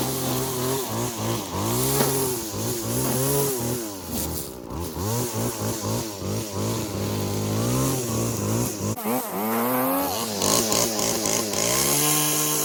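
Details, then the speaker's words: Stihl FS 40-C string trimmer with opened-up muffler: two-stroke buzz revs up and down sharply, reaching full speed cleanly without stumbling or bogging; running strong. "this thing doesn't bog down at all as soon as you open up a muffler on on a weed eater which people don't even really think about doing"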